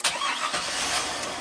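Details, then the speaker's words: 2000 (or 2003) GMC Sierra 1500 5.3 LS V8 with an intermittent crank no-start. Oxygen sensor wires at the computer grounded. Brief crank, then it catches almost at once and settles into a rough, rising idle: a quick start. "okay fired right up you see our oxygen sensor is uh going to start responding I'm sure"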